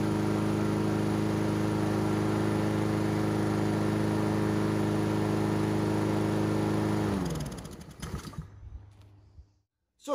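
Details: Free lawn mower, automatic wax-pellet choke confirmed working, after dealing with the old air filter: steady even single-cylinder drone with no stumbling or surging, then switched off and coasts to a stop; running clean.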